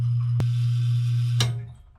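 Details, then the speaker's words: Home well pump after pressure tank replacement: smooth, even low motor hum without surging while filling the new tank from about 40 psi, then a click as it cuts off at 60 psi; normal run and shutoff, no leaks. "we'll turn the pump on here it stayed off okay there's pressure 7:40 it's filling this tank I don't see any leaks"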